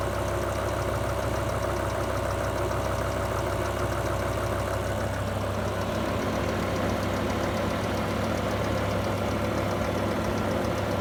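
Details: BMW M5 E60 S85 V10 at idle, about 60 miles after rod bearing replacement and an oil change: smooth idle with a fast, light, regular tick around three per second; lifter-like valvetrain tick, no warning light, cause unknown.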